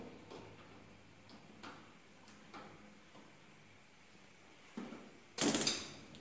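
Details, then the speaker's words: 6-year-old gas stove, burners previously slow to light; after washing and lightly sanding the parts, retest shows several sharp, uneven spark clicks, then a soft whoosh as the burner lights quickly: normal igniter clicking and ignition. "uma lixadinha precisou precisou dar uma molhadinha e vocês ver que elas pegou com rapidinhos viu pessoal"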